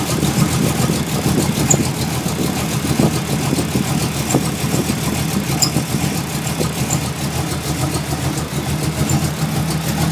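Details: Ford Mustang idling lumpy and uneven with misses breaking the rhythm, running rough ever since it was first fired up; the cause is not yet found.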